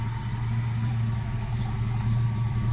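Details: 1966 Chevy C10 pickup, pieced together from several trucks, with a rebuilt brake system and added power steering, idling. A deep, steady V8 rumble with an even beat and no misses or knocks: a healthy, smooth idle.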